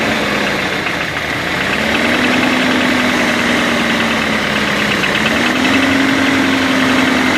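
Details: BMW 318 E36 at idle: sharp, fairly regular tapping about three per second over steady idle; engine knock, source undetermined.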